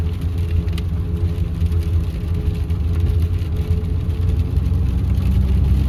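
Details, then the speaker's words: 2016 Ford F150, 2.7L twin-turbo V6, 4WD, driven on the road: a steady low drone and faint whine like gear or mud-tire whine, felt through the gas pedal. The cause was failing front 4WD actuators, not the front wheel bearings a shop had blamed. "It kind of sounds like a gear whine, or maybe a little bit like a mud tire whine, but it definitely is not."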